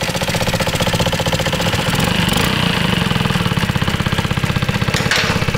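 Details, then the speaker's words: Revived, previously seized Honda Ruckus 50cc four-stroke liquid-cooled scooter: revs unevenly with a rapid, ragged popping beat and some knocking; little exhaust airflow, restricted exhaust suspected, not confirmed. "Yeah, there's not a whole lot of airflow, fellas. Uh-oh. I mean, it is a 50. No, no, it's the airflow."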